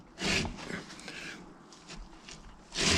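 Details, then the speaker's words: Mk3 Vauxhall Cavalier 2.0 being rebuilt with V6 brakes fitted: a 15-inch wheel turned slowly by hand scrapes harshly about every three seconds, once per turn, as its balance weights hit the caliper. Wheels would need rebalancing to be run. "We're going to have to do a little bit of rebalancing if I wanted to run these or any others, because that noise you hear is the balancing weights hitting the caliper."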